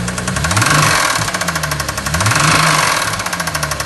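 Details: BMW E93 335i N54 petrol engine started and revved twice: harsh fast extreme metallic rattle staying loud under revving; owner suspects big end (rod) bearing damage, unconfirmed.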